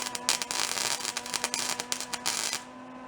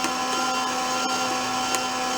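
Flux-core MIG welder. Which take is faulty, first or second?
first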